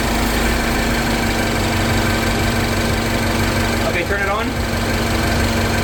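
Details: 2014 Mini Cooper Countryman S R60, about 98,000 miles, after installing a new friction belt tensioner to fix a high-pitched belt squeal, AC cycled: even steady idle, smooth low drone, no belt squeal or chirp; sounds healthy.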